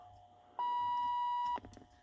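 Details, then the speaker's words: 1980s Lincoln Town Car door/key warning chime being replaced: one clean mid-pitched beep holds about a second then cuts off; beeper kept on by a broken key switch contact, owner suspects. "I think this thing being broke may be the whole problem it's what makes contact"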